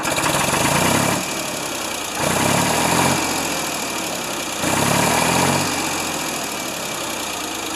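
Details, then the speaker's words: Ford 2600 tractor started after sitting a year: rough idle surging every couple of seconds with steady knocking; doubted to be a rod bearing since it doesn't knock specifically on throttle let-off, timing possibly involved. Engine knock, cause unconfirmed. "they can knock all the time but what they for sure will do is if they will they will knock when you let off the throttle this that's why I don't think this thing's a bearing"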